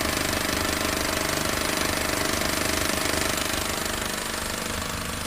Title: Barulho no motor new civic